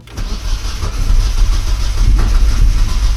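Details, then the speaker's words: Turbo Miata, parked a while, cold January start in Ohio, cold start not tuned: cranking chugs unevenly, battery strained, then catches into a rough, lumpy idle once given more fuel; hard cold start. "Yeah, it's not trying at all. Oh, I'm going to kill this battery, dude. I got to be careful."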